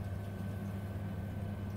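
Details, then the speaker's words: Ravenheat 84ET Mk2 boiler after repair of a no-heating, no-hot-water fault (previously totally dead with power on): steady, even low hum with faint fan whir, no knocks or surges; boiler now firing and running normally. "so this is the boiler it's now working"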